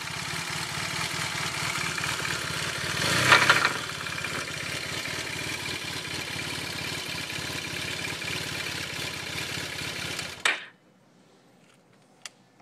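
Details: Yamaha T-Max scooter with uneven knocking of about three per second over the idle, sharpening on a quick throttle blip. Worn crankshaft bearing shells.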